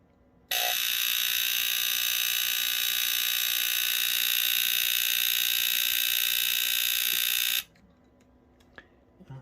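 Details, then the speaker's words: Vanguard Smoke Sonic smoke alarm, powered on: a harsh steady buzz for about seven seconds instead of the expected squeal. Owner suspects it is dying; the outlet may also be bad. Abnormal alarm tone. "it's not supposed to sound like that actually I don't think it's supposed to like maybe that is yeah it's not supposed to do that but you got like I think it's supposed to have a squeal or sound to it not a buzzer but I think that's just it dying out"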